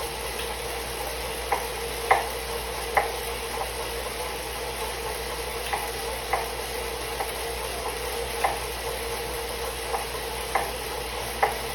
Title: Suito-T Elite knocking noise